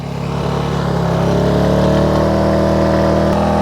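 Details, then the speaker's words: AIVolt 1600 W inverter generator charging an OSCAL PowerMax 1800 power station at 800 W: steady even drone with slight pitch rise as load comes on, then constant; 73-75 dB at about 2 feet, clean sine wave; normal under load. "This power station is now pulling 800 watts, and that's what it sounds like now. All right, and from about 2 feet away, we're still looking at between like 73 and 75 decibels, which is kind of like having a vacuum cleaner running."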